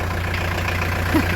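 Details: Restored diesel camper van with a new engine radiator, idling to warm up. Steady, even low clatter with no misses or knocks; healthy.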